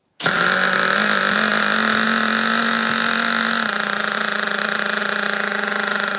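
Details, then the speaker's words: Rare OFNA Twin Titan twin .26 nitro RC engine on first start with rotor starter and glow driver: buzzy engine catches and settles to a steady fast raspy idle; heavy nitro smoke reported, not judgeable by ear. "Whoa. I need a breather. That was too much nitro smoke."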